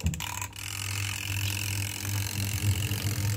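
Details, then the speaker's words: Automatic washing machine converted to twin-tub manual, spin-dry test after wiring the module: steady low motor hum, even drone, no knocking or scraping; spin tub turns smoothly, wiring confirmed correct, normal spin. "Ya, ternyata udah bener ya. Ternyata udah benar ya, kita matikan."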